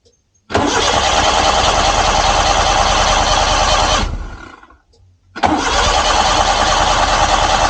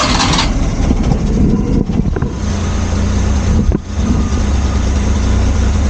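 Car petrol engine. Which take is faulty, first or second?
first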